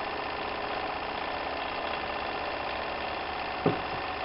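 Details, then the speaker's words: Märklin 4097 small steam engine, fitted with a new longer-stroke crank after the old one failed, now warmed up: a soft, even hiss with a faint steady beat and no knocks or clatter. It runs perfectly and very quietly. "you can see the engine runs perfectly and now the engine has warmed up and you can hear that the machine is actually running very very quiet"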